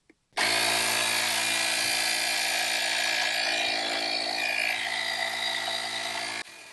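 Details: UIBI 3500A jump starter's built-in 160 PSI inflator filling a 275/70 R16 tire from low to 32 PSI: steady high buzzing piston chatter at an even pace until automatic cutoff after a couple of minutes; normal running.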